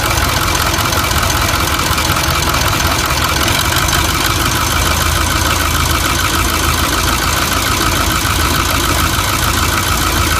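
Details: Ford 6.4 Powerstroke diesel V8 idling unevenly with lumpy irregular clatter; misfire/rough running from failing fuel injector leaking diesel into crankcase, raising oil level.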